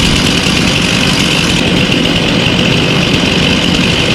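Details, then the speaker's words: Craftsman two-stroke chainsaw rebuilt after a dirt dauber nest: steady, even buzz with no misses or stumbles; runs healthy. "This was my grandfather's. It was a Craftsman. But anyway, had dirt dauber nest and everything. I rebuilt it, and it runs good now."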